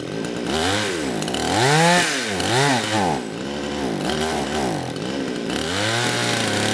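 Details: Kraftworld KW-5800 58cc Chinese two-stroke chainsaw, after being run on straight fuel; low-speed jet two turns out, the note swoops up and sags in uneven surges, never holding high revs, only picking up on choke; tuning made no difference.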